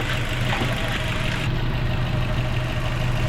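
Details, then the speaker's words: Mazda 3 after repair of a boat-like engine noise, coolant refilled, engine now warm: quiet, even idle with a smooth low hum and no knocks or ticks; normal idle. "So ayan, naka-coolant na rin tayo. Ayan, so sobrang tahimik na mga boss."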